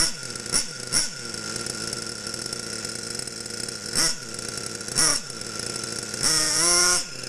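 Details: Losi Aftershock nitro RC engine, warmed up, needle leaned an eighth turn clockwise: a high buzzy idle with quick throttle blips that rise and fall cleanly; running well and properly tuned.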